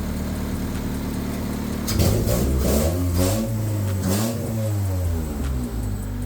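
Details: Honda engine with crank-no-start, distributor jumped with constant power because of a suspected engine harness short: steady idle, then a few clean revs up and down; runs and responds smoothly, no misfire.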